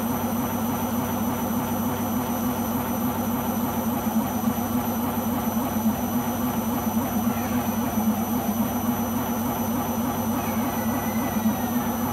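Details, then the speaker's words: Beko washing machine on its last legs: loud, steady roar with a fast rhythmic throb during spin, far rougher than a healthy washer; owner suspects the rubber behind the drum, not confirmed. "That was very worrying and I hope it won't do it on the next spin."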